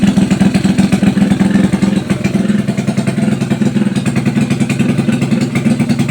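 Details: Test run of a freshly overhauled small single-cylinder motorcycle (tagged XRM125, drag bike). Quick, steady idle with a crisp, even exhaust beat and no knocks or grinding. Sounds healthy after the overhaul.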